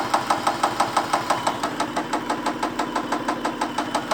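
Steady idle with a crisp regular tick about three times a second riding over the engine; ticking noise, cause not yet known.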